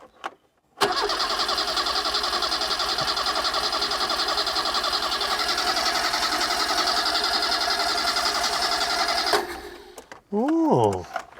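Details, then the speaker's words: 1980s Vauxhall hot hatch barn find, small engine, cranking steadily for about eight seconds at three to four pulses a second without firing once; crank no start, either too little fuel or flooded, suspected, not confirmed. "So, we've either not given it enough fuel or we've given it too much. >> It's not fired at all, has it?"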